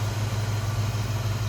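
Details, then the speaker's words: 1966 Ford Mustang convertible, 289 V8 with automatic transmission, idling with hood open: steady, even low rumble with no knocks, ticks or misses, none of the noises that shouldn't be there; smooth runner, normal healthy idle. "Not only what you hear, it's what you don't hear. Any noises that shouldn't be there. Smooth runner, good sounding car."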